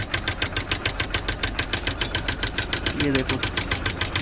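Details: Bike engine idling after cleaning the oil pump strainer, setting the clutch chamber and refilling oil, head cover bolt removed to check oil flow: steady single-cylinder idle at about three and a half beats per second, no loud knock; oil reaching the head.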